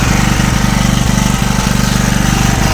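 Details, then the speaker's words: Small engine, likely a generator, on gas after its head was machined to shrink the chamber: under about a 2 kW heater load with the gas fully open, it drops a beat about every half second and sneezes. "Ні ну нема результата бачите його тіліпає не хоче на газу"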